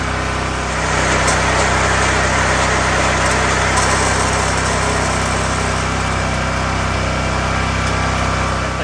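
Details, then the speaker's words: 20-inch California Trimmer reel mower engine after the drive belt was reinstalled, running at full throttle with the reel not moving. A steady, fast, even buzz with no misses or knocks; runs healthy. "The good thing is right now, I'm at least happy to say that it's at full throttle and the reel is not moving."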